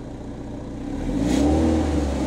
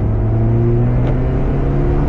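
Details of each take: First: Porsche 968 CS held steady at 3000 rpm during a sound-meter test (about 86.8 dB average). A tinny buzzing rattle rides over the exhaust drone from loose heat shields slapping the exhaust line. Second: Porsche 968 CS with a new SCART valved exhaust, revving. It gives a deep, smooth, steady drone with zero rattles or buzzing, a clean exhaust note.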